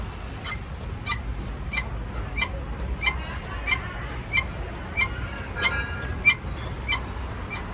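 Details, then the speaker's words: Chevrolet S10 pickup parked and rocked before replacing shocks and mounts: high, regular squeak about every two-thirds of a second, sounding like an old car; suspension noise, new Cofap shocks and mount kit to be fitted. "Pois é rapaziada tá fazendo a [ __ ] desse barulho tá horrível parece um carro velho mano"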